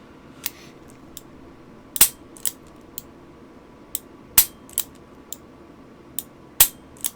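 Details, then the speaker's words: Smith & Wesson Airweight .38 Special revolver after reassembly, dry fired: light tick of the cylinder lock before the sharp hammer snap each cycle, cylinder locking properly. "You hear the click of the lock. Whoops. Let's try that again. You should hear the click of the lock before the hammer drops."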